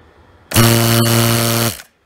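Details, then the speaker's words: Harbor Freight 2-stage vane vacuum pump switched on about a second without oil: harsh coarse strained buzz; oil very bad, pump tearing itself apart. Vacuum pump running dry. "I really got to stop running this without oil on it because it's just tearing itself apart the oil is very bad"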